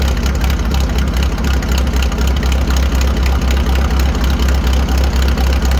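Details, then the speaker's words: 1940 Farmall H on straight pipe after new spark plugs, some oil getting into cylinder two: deep even thumping with no skips; all four cylinders now firing, running much better. "so as you can hear the tractor is running way better we have all four cylinders now"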